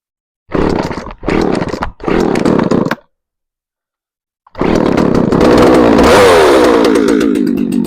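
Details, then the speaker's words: Shindaiwa 357 chainsaw bought at auction as non-running (came with no spark plug, no fuel), started on choke: three short sputters, a pause, then it catches and revs to a steady high buzz; runs healthy, easier than expected. "Wow. Okay. Well, seems like we might have a winner here. Well, that's pretty cool. Was not expecting it to be that easy."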